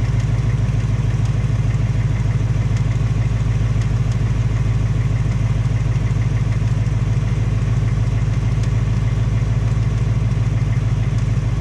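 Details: 2018 Ford Mustang GT, second engine with just 1200 miles, steady V8 idle with a fast even light tapping about three per second; tick at idle, piston slap or Coyote tick suspected, unconfirmed; Ford installing a third short block.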